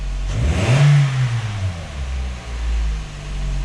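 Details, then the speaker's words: 2000 Toyota Echo 1.5-litre after spark plug replacement and trouble codes cleared: engine picks up cleanly and settles to an even, steady idle, no shaking or putt-putt misfire as before when it ran as if on three cylinders; fixed. "a lot better sounds good so that is fixed"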